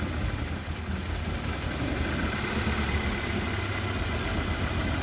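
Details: Honda Accord CB7 with G23 VTEC engine, resistor box: idle with uneven loping beat and weak pulse each cycle; dead cylinder misfire, injector number three suspected, checked with noid light.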